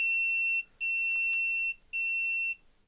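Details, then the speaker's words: AXUS USB keyboard with no power, multimeter continuity on its cable while the lead is wiggled: the tone drops out and returns unevenly. A break in the wire or a bad internal connection is suspected, not confirmed. "So, you can hear that is a bit temperamental. So, I don't know whether there's a break in the wire somewhere."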